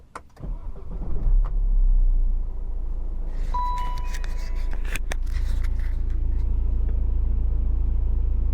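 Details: BMW E84 cold start after timing chain, clutch and flywheel replacement, now on 5W-30 LL04 fully synthetic oil, listened to under the bonnet: cranks, catches quickly and settles into a smooth, even idle with no chain rattle.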